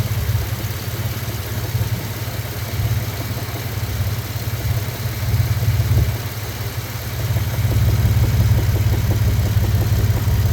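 Deep, lumpy idle with a dull knock repeating roughly three times a second under the exhaust note; a knock, source not pinned down.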